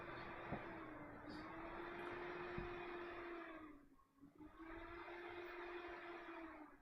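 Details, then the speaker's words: ASRock motherboard on test: the fan hum holds steady, then dips and drops away before spinning back up, a power-cycling restart loop caused by a bad RAM slot on the motherboard. "yeah oh what same thing yes bad slot on the motherboard need to buy a diagnostic lcd"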